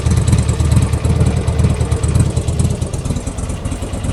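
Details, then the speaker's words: Buell XB12 V-twin after its spark plugs were cleaned and regapped: deep, lumpy rumble, blipped and settling, firing steadily with no misses or popping. It runs a bit better, though the plug gaps may be slightly too big. "Okay, let's see if it starts now, shall we? Hope it bloody does. I'll be upset if it doesn't. And voila, done. Happy days. Seems to be running a little bit better as well."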